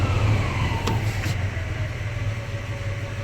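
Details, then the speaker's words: 1979 Ford F250 with a 300 (4.9L) inline-6, Offy C-Series intake and new Quick Fuel 450 cfm carb. Warm idle drops from about 1600 rpm on fast idle to a smooth, even 700 rpm with no misses or hunting. An exhaust leak is noted. "I'll kick the fast idle off she's idle and right where I want her at 700"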